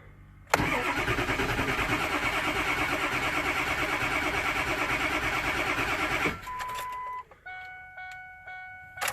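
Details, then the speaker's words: Ford 7.3 Powerstroke diesel, cold, after shimming injector electronics to factory clearances; even cranking about three pulses a second for several seconds, then it catches and runs: a normal cold start, no check engine light. "try to strike a little couple times hey that bite had done it oh I'm so excited"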